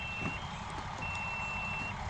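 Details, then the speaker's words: 1984 Monte Carlo SS 350/TH350: a cheap multimeter gives a thin steady high beep over low rumble, confirming continuity from a ground wire to the back of the alternator. "I don't know if you can hear it in the video because this little cheat meter doesn't make a loud noise but so just double check yep getting continuity to this wire to the back of the alternator"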